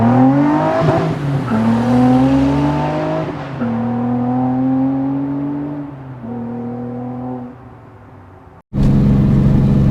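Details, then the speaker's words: In-cabin Nissan 350z V6 cruising around 60 at 2750 rpm: quiet, deep hum swelling into a drone on throttle; exhaust leak at a stripped Y-pipe bolt and gasket; stock headers and cats, ISR and Vibrant mufflers, 3-inch piping after Y-pipe. "at around 60 around uh 2750 RPMs you can see it's pretty quiet but if you get in the gas at all it's got a bit of a drone I'll have to order some parts and then try to get the uh that exhaust leak fixed"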